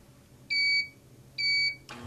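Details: IntelliStitch Turbo CL stitch regulator power cycled off and on to exit adjustment mode: two steady high-pitched beeps, each about a third of a second, then a soft rustle; normal startup, ready to stitch.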